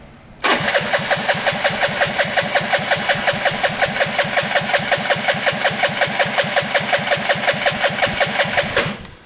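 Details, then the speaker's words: Gilera DNA 125 scooter, new starter solenoid fitted: steady, even starter cranking about three pulses a second for nine seconds, never catches; no spark because the spark plug cap was left off. "my bad guys i left this plug off which is the spark so uh we wouldn't have had spark"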